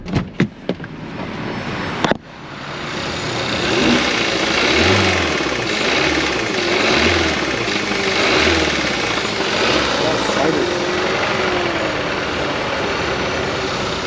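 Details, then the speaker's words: Light, quick rattle from the top of the engine when coming off the throttle, slower and lighter than a bottom-end rod bearing knock; camshaft phaser/actuator noise on a car that had been sitting a while. "When it's the top of the motor, it'll sound slower and lighter, and when it's the bottom of the motor, it'll sound like actual speed and it'll be deeper and louder normally, like a rod bearing noise versus a camshaft actuator."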